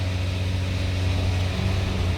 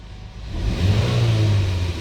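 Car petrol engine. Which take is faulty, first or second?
first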